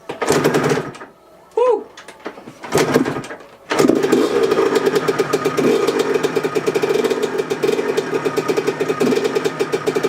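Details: Yamaha YZ125 two-stroke rebuilt as a 144, first start after engine rebuild, mocked up in the frame with exhaust fitted but no springs yet and fuel on. After a few failed tries it catches and settles into a fast, even, ringing idle with no knocks; sounds healthy.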